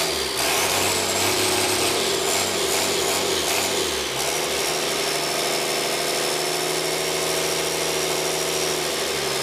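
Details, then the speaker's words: High-mile (about a million km) 5.9 Cummins 12v diesel with P7100 P-pump, cold start at about half throttle after bleeding injector lines: steady even diesel clatter with faint high whistle, no misses or knocks; normal healthy idle. "And that is what a half hour and a million kilometer engine sounds like."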